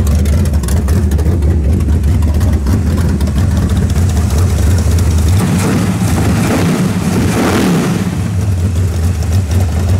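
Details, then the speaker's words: Carbureted V8 on a mechanical fuel pump; rough, lumpy revs climb then sag and stumble as the float bowl empties, a lean spot from fuel starvation. Planned fix is an electric fuel pump. "so you're gonna start to rev it empties a ball and it started if you can hear the lean spot where she's running out of pump shot so we'll put the electric pump on it"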